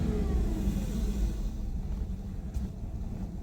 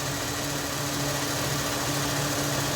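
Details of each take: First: 2001 Ford Mustang 3.8 Essex V6 with P0171 lean bank 1, after injector replacement: slightly uneven lumpy rumble with rev blips from massive vacuum leak, rear injector not seated properly, air hissing. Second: 2001 Ford Mustang 3.8 Essex V6 after replacing all six fuel injectors for P0171 lean bank 1 code and sluggishness: steady low idle, slight vibration, idling smoother than the previously shaky engine.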